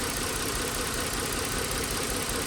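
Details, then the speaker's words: 2009 Lincoln MKS 3.7L V6 with P0305 code, car vibrating: busy, uneven idle with ragged lumpy note as cylinder 5 drops out; ignition coil misfire confirmed on oscilloscope. "ahí está la falla de la bobina ya que la computadora se está controlando en la bobina pero ahí la bobina está interrumpiendo el control obviamente porque tiene fallos"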